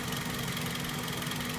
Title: 2004 toyota celica gt ticking sound